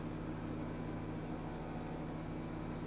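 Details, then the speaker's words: 2010 BMW 535i E61 wagon, auction car: after codes are erased, the air suspension compressor gives an even low buzzing hum with no knocks while raising the sagging rear; running normally, one part fixed it. "I just erased the codes and I hear the compressor kicking on it's raising it's kind of raising it's doing stuff guys it's trying to oh no it's it's moving"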